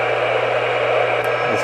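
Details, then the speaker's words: Realistic Weatheradio Alert III Model 12-140 in weather mode: steady static hiss with a low hum, no voice or tone. Dead air at every switch position. It never worked and gets nothing upstairs or in the basement. "and just like dead air now I'll move the switch and I could find it any position"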